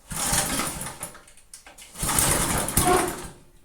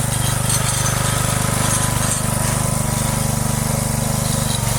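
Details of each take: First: Free, neglected Briggs & Stratton rototiller, previously stuck cables freed: starting on the bench with choke and throttle, engine catches in two short bursts then dies while the tiller wants to drive backwards; cause unknown – stalling on start. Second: Free neglected Texas rototiller with Briggs & Stratton engine, stuck cables and choke freed: steady single-cylinder putter holds an even beat under load during a short test run, no misses, knocks or surging; running fine.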